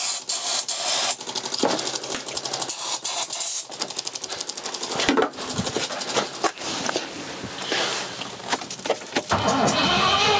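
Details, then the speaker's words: Rover P6 4.6 V8 cranking with the throttle wedged open and the fuel pump audible: uneven cranking pulses with occasional brief coughs that never catch. "i can hear the fuel pump it coughed a tiny bit again just not quite going"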